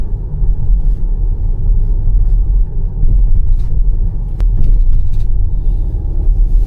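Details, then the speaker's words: Jeep Grand Cherokee over speed bumps: dull thumps from the tyres and shocks, then a crisp clatter like chopsticks on glass from under the rear seat; interior rattle from a loose rear seat adjustment cable and floor mat. "真正的异响呢是后边这个脆声，噼里啪啦这个声，很明显是先颠簸，然后颠簸的这种余下的能量震动了车内的一些装备造成的声音。"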